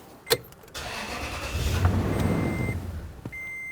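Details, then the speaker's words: 2006 Toyota Tundra 4.7L V8 with the fuel pump relay pulled before replacing the fuel pressure regulator: starter crank, engine runs about two seconds and dies, then a chime, as the fuel system is deliberately depressurized. "we see that the engine dies pretty quickly we're going to start it one more time this point here the engine is no longer running and the fuel system has been depressurized"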